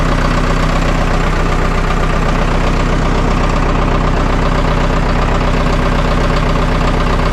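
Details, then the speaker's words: Vermeer 1800 diesel wood chipper bought at auction, first start in four years, clutch and drum engaged: loud, steady diesel clatter at an even pace with no stumbling; engine runs healthy, though feed rollers won't turn (owner suspects solenoid or fuse). "oh I had to be really hard to track it down but at least it does run that's a plus"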